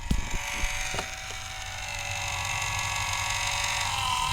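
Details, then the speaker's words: Culligan Gold Series 9 water softener (error 1H) during a forced regen: a few knocks, then a steady, strained motor whine as the valve drive spins all the way around; it is dry and is to be greased with non-lithium grease. "you can see how it's now spinning all the way around and you can hear that it's still straining listen to it"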